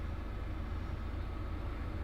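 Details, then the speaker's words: Van diesel heater after priming and spinning the fan to clear obstructions (owner thinks the fan caused the fault, fuel leak into intake suspected earlier): low steady rumble and even airflow, no surging or stalling; running normally. "Fixed it. Primed it. Span the fan a few times. I think the error was the fan. Anyway, span the fan around a few times to sort of clear it of any obstructions. And it's on, and it sounds good."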